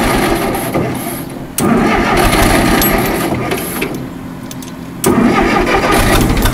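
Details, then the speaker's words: Allis-Chalmers 170 tractor, sat two years, carburetor rebuilt, new plugs and coil. Cranks, catches, runs a second or two, then fades and dies, twice; runs until it gets hot then stops. Owner suspects carburetor, wiring or being out of gas. "give it a couple seconds it gets hot and then it stops I think it's something the carburetor yet"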